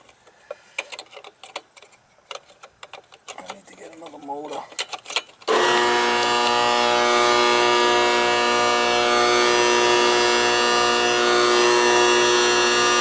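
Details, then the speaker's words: Trane XL14i condensing unit: after clattering, loud steady drone pulsing about four times a second; 240 V reaches the two-speed condenser fan motor, so the motor is bad and needs replacing. "we got 240 going in there this a bad motor it's a two-speed motor"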